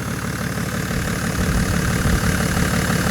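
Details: BMW E60 535d, 286 HP M57D30 diesel with overheating and excessive coolant pressure: heavy idle clatter, steady about three pulses a second, louder than usual, no distinct knock; cause unclear.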